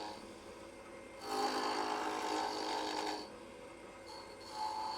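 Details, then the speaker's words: Wood lathe at about 1800 rpm on the center pulley, rounding a blank for a light pull: steady hum, then the gouge bites in with a raspy, fluttering chatter, showing the stock isn't yet round. "hear that rattle that means you got a little bit more to go not quite round"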